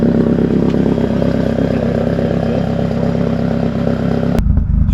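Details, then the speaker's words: Vauxhall Astra VXR with reprofiled cams, solid flywheel and Pulsar G25-550 turbo, first start in months: deep loping idle with an uneven chop about three beats a second, settled after 5 minutes of warm-up, squeaky alternator; normal lumpy cam idle. "been ticking over now for at least 5 minutes and it's settled down. Love the cam sound, man. It sounds awesome."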